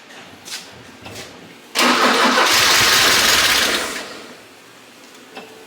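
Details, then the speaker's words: 1984 Porsche 944 left for years in a field, cranked with the fuel pump working: engine catches and roars about two seconds, then sags and dies; starts then stalls, and the mechanics suspect very dirty injectors. "she's a little funky but she's there all right all right hold up hold up go"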